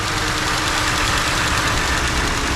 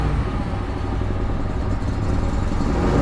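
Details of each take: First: Ford F150 2.7 EcoBoost twin-turbo after fuel injector replacement, still running rich and burning off smoke: smooth, even, settled idle with no misfire stumble or ticking; running properly. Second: Ford F150 2.7 EcoBoost twin-turbo with check engine light and smoking exhaust, before injector replacement: lumpy, uneven running that swells and sags with stumbling pulses; leaking injectors dumping fuel, running very rich.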